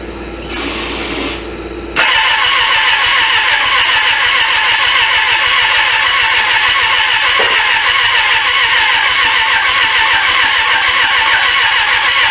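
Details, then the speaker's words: 1996 Suzuki GSF600 Bandit that sat 14 years, carbs cleaned, fed from a gas bottle, choke cable stuck: after a short starter burst it spins fast and evenly for ten seconds without catching. Owner suspects no compression; cranks without starting. "man she spins over fast too like is no compression"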